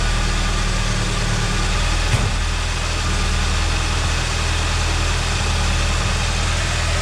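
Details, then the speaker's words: Ford Mustang SVO engine after a misfire appeared, following a swap of NGK TR-5 to TR-6 spark plugs: deep, steady idle with even beat and no stumbles; running much smoother. "That is way smoother. That is way smoother. Okay, so we'll see if that fixes it. It's running a lot better now."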